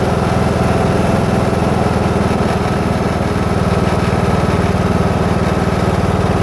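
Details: New Husqvarna TS 242 riding mower: steady engine idle with a rough, gritty grinding undertone riding the firing beat throughout; source not identified.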